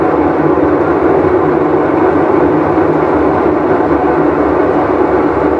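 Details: Whirlpool Cabrio washer with bad bearing, full wash cycle; constant deep roar like a passing train through spin; tub bearing roar.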